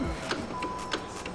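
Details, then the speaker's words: Hellcat-swapped Dodge Viper, line lock solenoid tested after wiring circuits, indicator light showing power: crisp light clicks about every two-thirds of a second over quiet background; solenoid switching normally, normal line lock clicking. "Yep, I can hear that clicking."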